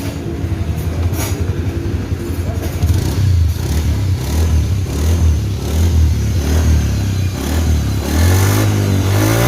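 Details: Honda Beat FI scooter after CVT overhaul, with crankshaft seal, bearing, shaft, pulley, engine oil and gear oil replaced, first opening in 4 years: pulls up smoothly through the revs with a clean, even drone and no whine; normal CVT operation.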